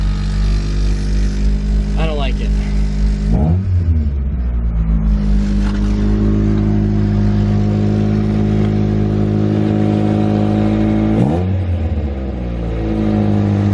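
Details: Nissan 240SX S13 SR20DET drift car with new eBay EMUSA 3-inch cat-back exhaust, fully bolted down: deep steady idle with two rev blips, no puffing or ticking; no downpipe leak, exhaust sealed.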